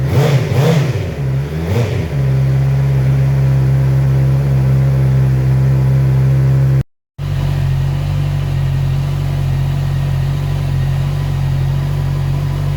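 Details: Heavy motorcycle with its exhaust repaired, polished, painted and refitted, sound test: a few sharp throttle blips settle into a deep, steady, even idle with no knocks, rattles or exhaust leaks.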